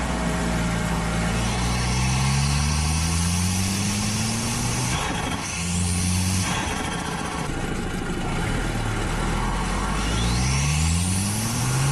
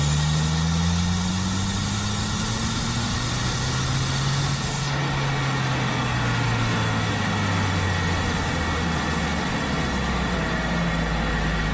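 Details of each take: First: Audi A4 B7 Avant with stock exhaust, after a GFB DV+ diverter valve replaced a split OEM valve that was leaking boost. Repeated strong pulls climb cleanly through the revs with no hesitation. Normal turbo acceleration. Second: Audi A4 B7 Avant under boost: steady engine drone with a faint high whistle and airy flutter of boost escaping. Boost leak from a split OEM diverter valve leaves the car down on power, feeling naturally aspirated.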